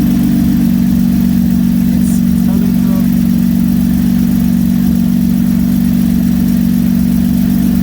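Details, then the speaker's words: 2016-21 Camaro V6 LGX after replacing the fuel injector seals: smooth, steady idle with an even low drone, no ticking, hissing or misses; the earlier weird noise is gone. "she's back in the garage no more of that sound i am super excited"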